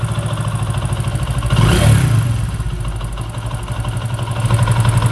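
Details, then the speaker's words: Vikrant V15 single-cylinder motorcycle idling: a steady metallic clatter that rises when the throttle is blipped. Opening the magneto side showed a failed one-way starter clutch bearing, and the fix is replacing that bearing. "इस गाड़ी में एक बहुत बुरी आवाज़ ए रही है"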